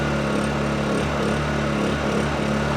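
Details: Honda EU2000i generator after carburetor cleaning, choke off; steady, even hum holding speed with no surging or stumbling; running normally, fault fixed.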